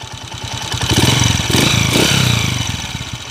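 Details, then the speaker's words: 2010 Honda TMX155 single-cylinder: clattery, noisy idle in neutral with a brief rev and a rising-falling whine from a worn timing gear; engine also emits white smoke. "malk tapos may miaw miaw may miaw miaw pag nasan natin na naka neutral may mmw"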